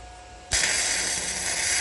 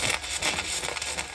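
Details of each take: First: Arccaptain MIG 145P flux-core welder on 220 V (voltage adjustable 11–26 V, wire speed in m/min), beginner welding with the torch close to the work: a steady, even frying crackle without pops or sputter; smooth, well-set arc. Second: Arccaptain MIG 145P flux-core welder on 220 V, flat lap and T-joints: crackling arc surges, bucks and stutters instead of a steady sizzle because the gun is held too far off, giving an erratic arc from too much wire stickout.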